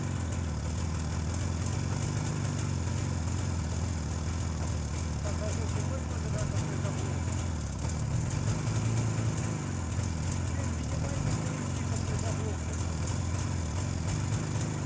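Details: JAWA 350 two-stroke that would not start, now running on a rebuilt contactless ignition circuit replacing the cam points: steady idle putter with a few light throttle blips, running cleanly and evenly.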